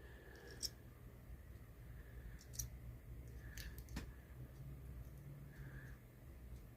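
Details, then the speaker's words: Six-tube Motorola radio, rotary selector knob turned: scratchy, uneven clicks and rasps grinding over a low hum as the switch drags; its contacts are burnt black, with crusty residue wiping off even after contact-cleaner spray. "it's like it's got burnt contacts look at that stuff just coming off my fingers maybe I could clean that up cuz you see how burnt that is"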